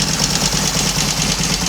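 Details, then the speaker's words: Royal Enfield Constellation twin the morning after first start, running on both cylinders from one carburetor (owner plans return to two): steady even low putter, no misses or knocks, running nicely for the first time; throttle cable slightly snagged; normal idle. "Anyway, enough of my waffle. It's running nicely for the first time since it's been here. That's got to be a good thing."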